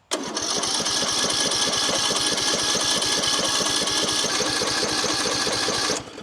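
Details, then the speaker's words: Craftsman LT3000 riding mower with Briggs & Stratton single-cylinder engine, long unused: a steady fast cranking chug, about four pulses a second, never firing. No fuel reaches the carburetor because the fuel solenoid is stuck shut; it was later freed. "Here, let's see if my carb solenoid is working. Oh, it's not. Okay, so we're not getting feel to the carb."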